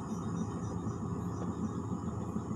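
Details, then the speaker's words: Sharp fridge whose freezer and fridge were not cooling after two months switched off: soft steady low hum and airy rush heard at the vent, no scraping or ticking, cold air felt; evaporator fan running normally. "saya mendengar suara kipas ya suara kita sudah terdengar"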